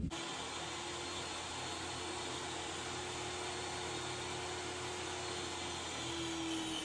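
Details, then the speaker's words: Table saw with a fairly new, sharp ripping blade making a rip cut for 1/4-inch boards: motor hums, pitch sagging slightly near the end as it bogs down under cutting load. "You could hear it bogging down just a little bit, but it made it pretty smooth."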